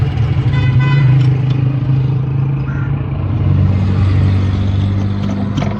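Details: Toyota Hilux diesel (2L/3L/5L family): it settles into a steady low idle with an even rumble and no knock or misfire, running normally.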